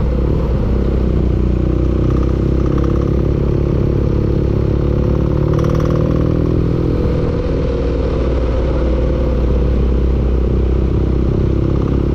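Steady running engine with a rapid, even clatter riding over the low drone throughout; knocking from inside the engine, cause undetermined.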